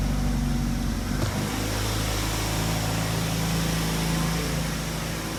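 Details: 2007 Ford Focus after valve cover gasket replacement and tune-up, first start after sitting about a week: brief crank, catches cleanly, steady even idle with no knocks or misses, oil burning off; healthy start-up and idle.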